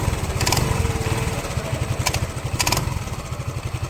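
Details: Suzuki Lets scooter after greasing the bearing: low quick even idle putter with only a few light clicks; engine noise gone, idling smoothly.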